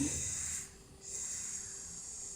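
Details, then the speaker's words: Chinese 50mm wastegate bench-tested with regulated air: a sharp hiss that cuts out when the top port is covered, then returns weaker as the valve opens. Air leaks past the diaphragm, possibly also around the valve. "there's a leak past the diaphragm which you can tell because if you cover this it goes away so you can hear that air speaking"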